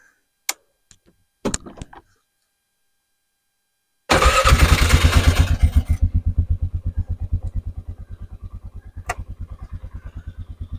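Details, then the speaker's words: Engine not started for about a week, after tightening wind-loosened bolts: a few clicks, then catches at once and settles into even steady idle thumping about three times a second; healthy cold start and idle. "Let's crank it up and see what happens. Haven't cranked it in a while. It's been probably a week at least."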